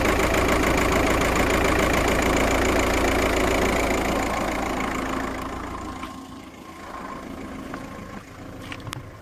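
Close-up idle with a regular, slightly lumpy beat about three per second, fading away near the end; a cylinder 1 misfire at idle.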